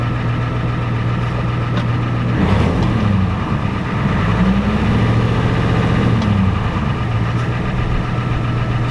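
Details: Ford F-250 7.3 IDI diesel with diesel treatment added, transmission suspected bad in reverse: deep, even idle with a steady low rumble and a brief rev midway; runs smooth and sounds good.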